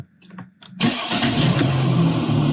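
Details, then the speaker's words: Mercedes ML 350 diesel (W166, OM642) after fuel filter replacement and fuel system priming: a few clicks, short crank, engine catches at once and settles into a steady even idle; normal easy start. "it starts up like that. Easy. Not a problem. Perfect."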